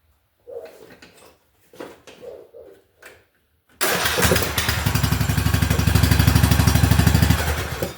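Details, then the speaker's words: Small power-equipment engine cranked during an ignition spark check (flywheel-magnet coil). After several short cranking bursts it catches and settles into a steady, even beat of about three per second. Normal start and run. "Well, it it did more than just uh show that the ignition system was working. It started running."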